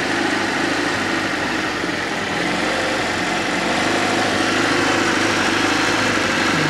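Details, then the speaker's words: Fiat Panda 4x4 Sisley, Fire petrol engine, after water pump replacement, at full hot working temperature with thermostat open: smooth, even idle, steady low hum, no grinding or knocking; running healthy. "the valve's definitely opened up and I'm getting no grunty grindy sound so to me that is definitely a job well"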